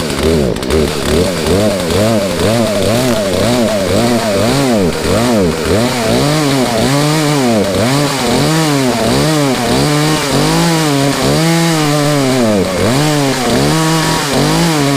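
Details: Poulan chainsaw after new air filter and Zama carburetor kit, high and low speed jets set 1.5 turns out: small two-stroke running steadily, revving up and down in regular swells with clean pickup and no stumbling; carb properly set.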